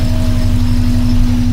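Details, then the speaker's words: 1982 VW Westfalia flat-four after dashboard instrument panel rewire fixing bad connections and grounds: steady, even idle with a faint constant hum, no misses or knocks; starts nicely, oil pressure and alternator lights out, 14.2 V; normal idle. "Starts up really nice now. But the uh Yeah. So, oil pressure lights out, alternator lights out, and 14.2 there."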